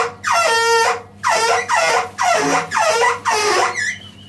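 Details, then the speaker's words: Combi boiler water fill tap: loud honking bursts about once a second while water is being added; the fill valve is faulty, and replacing it stops the noise. "kombide böyle ses varsa korkmayın bakın nereden yapıyor bu sesi Su doldurma musluğundan buna Korkacak bir şey yok korkmayın Su doldurma musunuz değiştirdiğiniz zaman Su doldurma Musa gelen basınç bu sesi veriyor"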